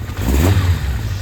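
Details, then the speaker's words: Kawasaki Zephyr 750 four-cylinder, cold, just started on choke after the coil pack was replaced. Deep, steady exhaust with a quick throttle blip and no misses, smoking heavily. Carbs rebuilt; running healthy on all four cylinders. "runner. She's smoking like crazy. Sounds chipper. It's a little bit cold, so I'm not going to do anything crazy."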